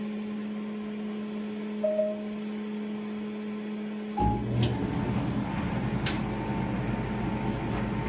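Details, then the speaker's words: Whirlpool WED9290FW heat-pump ventless condenser dryer, cycle paused then restarted with clothes on normal cycle: low steady compressor hum, then drum tumbling softly over an even tone, a bit louder than typical; normal running. "So you can hear the heat pump. We just paused the cycle, and you can hear the heat pump still spinning, so I'm going to restart it."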